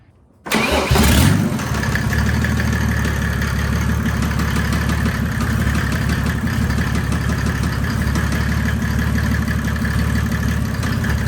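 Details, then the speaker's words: 1984 Mercedes 190D drag car with built 1998 OM606 turbodiesel (H-beam rods, S364.5 turbo), after last full pull: catches and idles with sharp regular knock over diesel clatter; owners suspect a bad injector, not confirmed. "I think injector. I think so. Yeah. That sounds injector. Yeah, that was weird."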